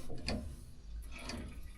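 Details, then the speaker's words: Type 69 tank fuel priming, the first start-up step, with a few pumps of the hand fuel primer: soft bubbling and small ticking drips as fuel moves through; the bubbling is normal and good. "You hear the bubbling sound over there, and this is good."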